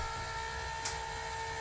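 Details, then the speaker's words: Happy Jack bed lift after fix: steady, quiet electric motor whine, no banging or clanging; clicking going up was chains hitting, cured by glued wood shims holding chain up. "No more banging, no more clanging."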